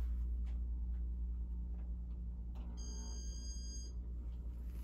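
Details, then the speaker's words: Casablanca Broadway Limited ceiling fan with Inteli Touch control, switched to speed three: after a click, one drawn-out high beep about a second long over motor hum; beeps should be quick, board fault suspected; bearings also audible. "and the beeps aren't supposed to be that long and it's not supposed to take all that time it's supposed to be quick but something's wrong with the board"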